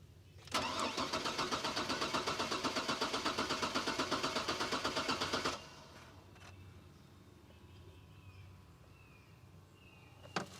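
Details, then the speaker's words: Chevrolet Trailblazer, sat five years, was running when parked; fuel pump possibly heard priming: starter cranks steadily at about four beats a second for five seconds but never catches; either no fuel to the rail or no spark. Crank no start. "all right so it's not running so either it's not getting fuel to the fuel rail or it's not getting spark"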